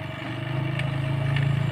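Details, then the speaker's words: Vacuum pump on a one-door refrigerator near end of evacuation: steady low buzzing drone, even, no gurgle or hiss; sound is clean, so valve closed and gauge watched 10–15 minutes for leaks. "lebih bisa ini udah cukup ini sahabat karena suara udah bersih jadi kita tinggal tutup saja"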